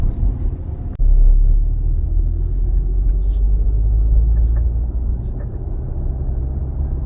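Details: Fourth-generation Kia Sorento hybrid, noise from underneath at low speed turning on a slope or over bumps: low hollow groaning rumble rising and falling unevenly; worn transmission mount, fixed by mount assembly replacement.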